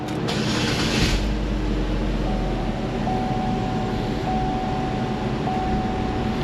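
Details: GMC Terrain that stalled and ran rough with check engine light and P0017 timing code, restarted after clearing codes with cam solenoid swapped in: brief start-up rush, then a steady, even drone with no stalling or roughness; running normally.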